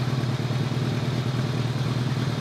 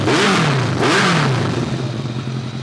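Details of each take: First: 2002 Kawasaki ZRX1200R with Keihin CVK carbs, after one carb's vacuum problem was plugged off: even, steady low drone with no hunting or misfire; runs much better, with synchronization still slightly light on one side. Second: 2002 Kawasaki ZRX1200R with Keihin CVK carbs, sat a while, started with enricher: sharp revs fall back to a lumpy idle with pops on closing throttle; runs better but still afterfires, from a vacuum leak.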